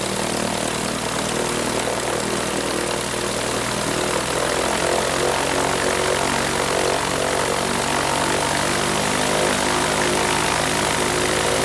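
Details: Franklin 165 aircraft engine test run after repairing a blown cylinder: a loud, steady drone holding even constant revs with no misses or knocks. Sounds much better and healthy.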